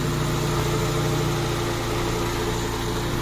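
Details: Honda Civic LXi manual with a stalling complaint, after idle and distributor timing advance were adjusted, idling with AC on and idle-up engaged: steady, even idle with smooth low hum holding the AC load; normal.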